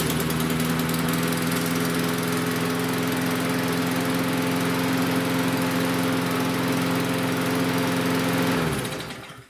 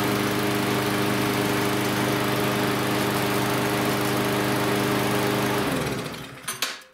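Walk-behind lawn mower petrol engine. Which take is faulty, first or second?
first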